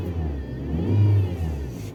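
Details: Power steering pump whines and hums louder with revs since frosty weather, felt in steering rack, wheel binding and stiff; return hose burst, bleeding didn't help; cured by fitting a Volga/Gazelle power steering reservoir with filter.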